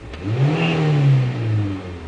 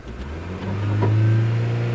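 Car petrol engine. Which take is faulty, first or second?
first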